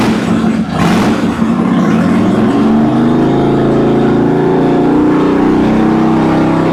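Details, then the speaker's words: Even, strong 2006 Harley Dyna Wide Glide V-twin climbing cleanly through the revs, with no misses or popping, after the fuel pump found grounding out was fixed; both cylinders are firing well. "Okay. Well, let me uh let me let's let's fire it up one more time. Yeah, it sounds good."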